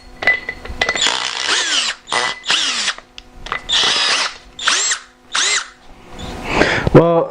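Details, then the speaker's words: New Harbor Freight Bauer 20V hammer drill run unloaded straight out of the box: short bursts of harsh, rough whine rising and falling with the trigger. It shows bad motor sparking and a bad smell, and sounds broken; poor build quality is suspected. "I never had a drill it sounds like it's broken. It's like, sounds broken right out of the box."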